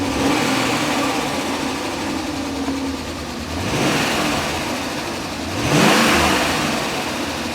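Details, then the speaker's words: 1998 BMW 740iL first start after fuel pump replacement: rough, uneven run with loose engine rattle and stumbling miss on throttle; low compression, battery not charging, oil possibly fuel-diluted (owner suspects), cause unconfirmed. "And it's missing, and it sounds pretty rough."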